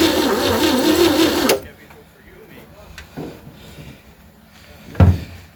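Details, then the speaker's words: 1960 Chevy C10 with 235 engine, first start attempt after sitting about 40 years in a fence line: starter turns engine slowly and laboriously then stops; battery charge to be added, valves possibly too tight. "Well, she ain't cranking very fast. I'm going to throw a battery charger on this, get a little more power to it."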